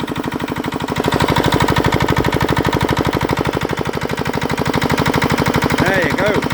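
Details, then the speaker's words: 1960s Petter AA1 single-cylinder diesel driving a belt compressor, first run after a long lay-up; crisp, evenly spaced thumps, no misfires or knocks, a bit noisy but running nicely, normal running. "Look how nice she's running. Well, what can we say? That's a bit noisy there."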